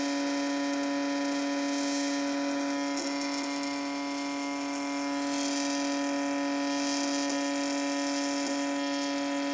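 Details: Sink: steady pure buzzing tone with a clear overtone over constant running water, seemingly caused by the water stream; owner suspects a viscoelastic effect rather than resonance, not confirmed.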